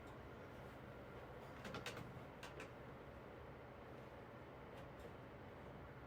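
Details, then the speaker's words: 9-inch Galaxy fan with amber blades, replacement running: a steady, low hum under soft airflow with no knocking. The motor bearings are dry and need oil, and the motor speeds up and slows down while oscillating. "again the seller failed to tell me that the bearings need oil so it has that problem when it's oscillating that the motor speeds up and slow slow down"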